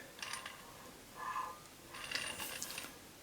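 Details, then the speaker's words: Garrard 86SB record deck after repairing a worn gear; a few light clicks and a short ratcheting shift as the speed selector moves 33 to 45 and back to 33; speed change mechanism works normally. "and you've got the glide here for the speed 33 and down the 45 jumps down onto the next size and that's working good back up to 33"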